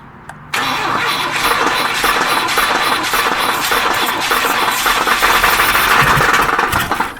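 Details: Jump-started engine that won't start: starter churns about seven seconds with an uneven rhythmic chug, engine never catches; extended cranking, no start.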